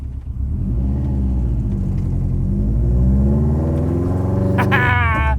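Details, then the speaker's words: AWD rallycross Miata with new suspension, driven over a big bump after fixing rear binding that had caused a metal-on-metal clank: steady engine and road rumble with no clank or knock; the rear suspension now sounds quiet and the fix worked. "it didn't do it boys i think i think we fixed it oh this thing's so fun to try race car yes"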